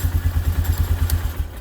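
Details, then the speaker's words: 1998 Polaris Sportsman 500 4x4 running after the white-and-black kill wire was cut, fixing a crank-no-start; 4x4 working. Even single-cylinder thumping about nine beats a second, no misses; normal idle. "there you go now start right up the 4x4 is working everything so"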